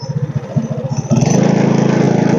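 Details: Tillotson 212 mini bike engine after repair and idle adjustment, riding; steady single-cylinder thump rising smoothly to a fast even beat under throttle; normal running.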